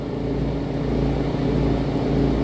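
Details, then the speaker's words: RV rooftop air conditioner, after being hit, running with a deep droning rumble and slow throbbing boom-boom pulse: the fan motor vibrates because two of its mounting bolts are missing; fitting them into the rubber grommets stopped the noise. "it works but there's that vibrating pulsing noise boom boom boom boom boom boom that noise so that's what it is"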